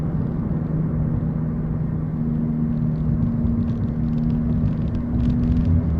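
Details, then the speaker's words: 2014 Chevy Impala cruising, heard from inside the cabin: deep steady droning hum over road rumble, coming from the right side; owner suspects a bad right rear wheel hub assembly/bearing, with strange tire wear noted. "terrible anyway the symptoms are not noticeable except you hear this loud noise now I'm hearing coming in from my right-hand side right that's why I'm assuming it's the right hand wheel hub assembly"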